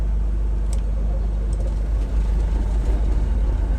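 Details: Grand Banks 42 diesel, engine started after owner's pre-start routine (bleeds, about 5-6 seconds of heater); low, steady rumble right after start-up, even without knocks or misses; normal cold idle settling in, cooling water flow to be checked.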